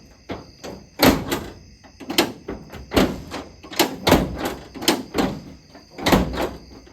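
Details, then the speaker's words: 1970s Ford truck tailgate after latch repair with new bushings and filing down a catching spot: crisp latch clicks and solid thuds as gate opens and shuts, no grinding; much better, though still slightly catching and a replacement latch is planned. "Oh, much better. I can still hear hear it was catching on that spot that had to file down."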